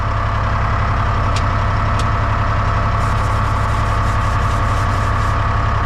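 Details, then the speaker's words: Lull telehandler Detroit Diesel 3-53 two-stroke, first start ever without ether, oil pressure up: steady low, even rumble with no misses or knocks; normal diesel idle. "It's the first time that's ever started without ether. Ever. See if my shutdown works now. Got oil pressure."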